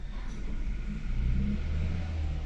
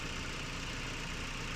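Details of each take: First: Haval H6 1.5T with check engine light, power loss, heavy shaking at idle, codes P0300, P0301, P0303: deep uneven lumpy idle rumble. Misfire in cylinders 1 and 3, coils checked by secondary ignition scope. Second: Haval H6 1.5T previously shaking at idle with P0300 multiple misfire, after checking and securing the COP ignition coil: engine idles smoothly and evenly, no stumble.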